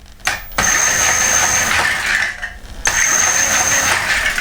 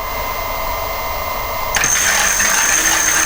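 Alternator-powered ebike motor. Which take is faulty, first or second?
first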